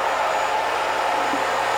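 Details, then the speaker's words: Chopper motor on a Littleford FKM-130 mixer after repair, with new bearings, a replaced cooling fan and new seal packing: a smooth, even, mid-pitched hum with no knocking, rubbing, wobble or vibration; the motor runs quietly and normally. "we've installed the new bearings in the motor as you can probably hear nice and quiet"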